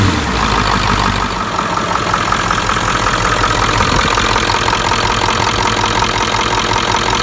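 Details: 1996 Ford F-350 7.3L Powerstroke diesel, after replacing a cracked, failed fuel pressure regulator and fuel bowl: steady idle with even, regular clatter, no misses or stumbles; running normally.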